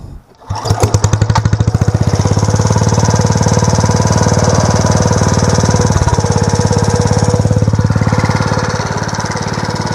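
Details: Home-built 1/3 scale mini hay baler used as stationary hay press, small engine idled down: steady even idle with regular plunger thump about three and a half a second; running normally.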